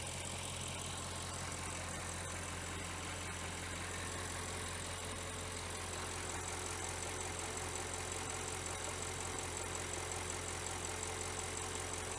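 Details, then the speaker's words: Audi 4.0 twin-turbo V8 idling with the hood up after a spark plug replacement: steady, even idle with busy valvetrain ticking on top, no misfire or stumble; normal idle. "Okay. Idling's good. Man, that exhaust sounds good."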